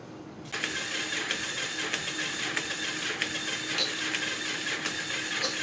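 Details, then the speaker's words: 42-year-old motorcycle after starter repair, key-bypassed ignition, spark just confirmed: thin steady starter whir with faint even ticks, engine turns over but never fires; cranks, no start, starting fluid next. "Okay, I'm tired of playing around with this thing. We're gonna put some starting fluid in it. Maybe that'll kick it off."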